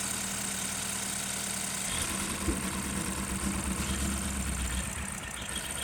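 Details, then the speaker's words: 2012 BMW 528 N20 four-cylinder, with misfire codes for cylinders 1 and 3 returning after every clear: it starts and idles smoothly for a few seconds, then turns rough and lumpy with uneven low thumps. Engine misfire. "so physically symptom wise we know we are misfiring after a few seconds of uh running and this is what keeps returning"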